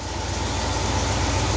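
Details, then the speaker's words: 1971 Cadillac DeVille 472 V8 on first start with a freshly rebuilt Quadrajet carburettor: a slow, slightly uneven idle that picks up, with the fast idle set too low; the owner suspects the remaining shakiness is internal to the engine. "all right same drill as last time they got the fast idle set pretty low I don't know why they thought that was a good idea that picked up a little bit there nice coming on up"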